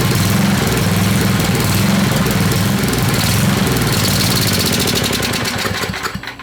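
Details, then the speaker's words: Old Craftsman 10hp Tecumseh riding mower, rebuilt water-damaged engine warming during run-in: uneven putter holds a few seconds then sags and stalls; owner suspects makeshift fuel supply too low to feed enough fuel; plug later a little wet. "we need to get a fuel tank on it and have proper Supply this is it's it's not high enough so it's not applying enough fuel to the system"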